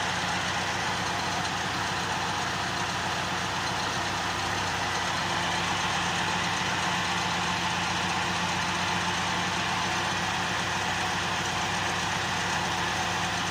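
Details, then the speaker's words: Honda with rough idle and erratic RPM after throttle-body cleaning: an even, steady idle with a constant low hum and no stumbles or surges, gradually dropping to 700 RPM. Normal idle restored by cleaning. "So unti-unti ng bumababa sa 700 RPM"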